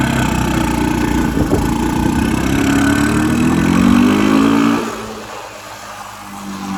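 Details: 1984 Honda ATC 200M three-wheeler barn find, revived after 30 years and parts replacement, needs fine tuning; engine pulls cleanly up through revs without misses, drops smoothly back toward idle, healthy single.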